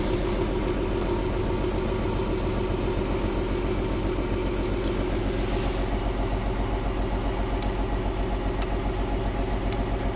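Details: 1994 BMW 325i petrol engine with an uneven, pulsing rough idle after a cold start at about 45°F; worse in drive, with rough acceleration. Owner plans to check vacuum lines, spark plugs and coil packs.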